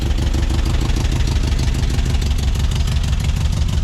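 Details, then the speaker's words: 1976 or 1978 VW bus air-cooled engine, revived after sitting over 10 years, started with a wire; steady, even low putter about three beats a second, no misses or knocks; normal idle. "But it at least runs. He's a runner."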